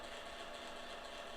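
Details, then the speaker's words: Kodak Advantix FD300 APS film drive loading film: steady high-pitched mechanical buzz with fine rapid rattle, no pauses, during film transport; unit works though noises sound wrong; cause not identified. "like it could be endless buzzing mm-hmm okay something's happening oh wow it's working those noises didn't sound good"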